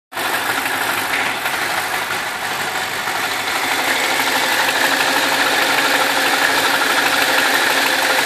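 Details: BMW 645ci with N62 V8, steady idle: busy fast metallic ticking clatter about three beats a second; owner suspects the timing chain on the right cylinder bank, directly under the oil filler neck; sensitive microphone exaggerates it.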